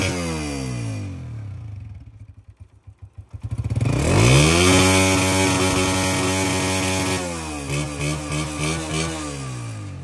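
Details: Honda CG 125 single-cylinder motorcycle after its misfire problem was addressed: starts, settles to a steady idle, then revs up and down cleanly with even firing and no misses.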